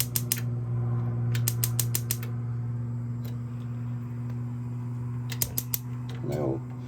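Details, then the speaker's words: Appliance in a 2021 Jayco Journey 22.68 caravan being switched across to gas. Bursts of sharp ticking at about five clicks a second over a low hum, continuing until it lights. The igniter is sparking normally. "You should hear a tick, tick, tick. And that's it trying to start."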